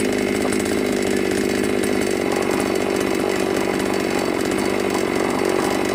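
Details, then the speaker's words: New Magnum G11 chainsaw that would bog and die on acceleration, after carburetor reassembly and removing carb neck restrictor: loud steady high-rev buzz, clean without stumbling or dying; revving normally. "เรียบร้อยเรียบร้อยครับใช้งานบกได้ปกติ"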